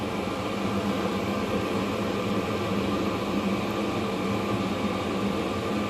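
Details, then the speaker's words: 5 kW Chinese diesel heater on high, running on shale light distillate and vegetable oil mix (about 70% vegetable oil): smooth, even roar with steady fan hiss, no pulsing or popping; burning cleanly, no smoke. "you can hear it rumbling that's because it hasn't slowed down a single bit that is burning"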